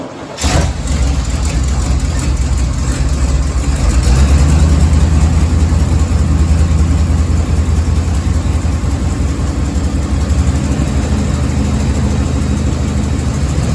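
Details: 1987 Chevy 3500 one-ton 454 TBI big-block V8 idling lumpy with a loping stumble after a new cap and rotor replaced a corroded, cracked cap; the misfire was traced to misrouted, crossed spark plug wires.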